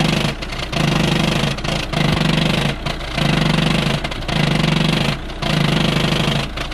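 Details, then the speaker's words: Volkswagen car at idle with harsh metallic chatter swelling and dropping about once a second; rattle suspected from the flywheel or transmission side, not confirmed. "आप engine से एक ही आवाज सुन सकते हैं किस तरीके से बहुत ज्यादा एक के नौकरी साउंड आ रही है"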